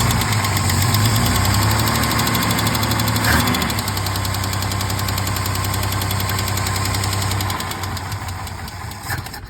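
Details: 1968 Mercedes-Benz 230 after Zenith 35/40 INAT carburetor repair (stripped fuel inlet, rebuilt leaking fuel return valve), first start in about a month: steady idle with fast light lifter tick, present for 30+ years.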